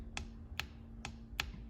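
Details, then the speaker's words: E4OD/4R100 transmission solenoid pack on the bench, EPC solenoid powered with 12 V and grounded at terminal 11: four crisp clicks about half a second apart; passed ohm and click checks, appears fine. "So that's the only solenoid really that you can't completely mechanically check. But we've done the ohm check and we've done the click check. It appears to be fine."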